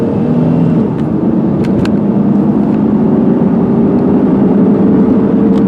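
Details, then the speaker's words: 2002 Ford Taurus LX, higher-mileage family sedan, on a test drive under hard acceleration to 55 mph: the engine pulls with a rising hum and each shift drops pitch cleanly with no banging, slipping or whining. Normal automatic transmission shifts. "There we go, 55 miles an hour, and as you saw, I was hitting the gas pretty hard. It shifted through the gears nice, no banging, no whining, no strange noises."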